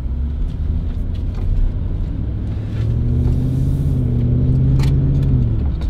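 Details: BMW E38 740i after air suspension damper and air bellows optimization, driven over cobblestones: steady low road rumble and engine drone with no knocks or clunks from the suspension; quiet suspension over cobblestones after repair.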